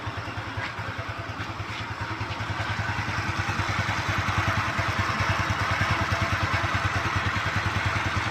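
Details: Kymco Easy scooter after fixing the earlier krek-krek idle noise near the CVT: even, rapid idle pulses rising slightly when blipped, no clacking or odd noises; normal idle.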